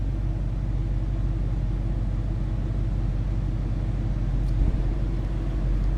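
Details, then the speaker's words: 2012 Ford Mustang GT coupe V8, one owner, 34,654 miles: deep throaty exhaust, steady low rumble with even beat at idle, no misses or ticking; normal healthy V8 idle. "Nothing crazy over the top of the exhaust. Just a nice deep throaty exhaust"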